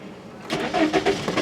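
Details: 2003 VW Jetta 1.8 with hot no-start and codes P0321/P0322, cranking while crank and cam position sensor data are checked: uneven starter grind with whirring tone and pulsing compression, no firing; cause not confirmed.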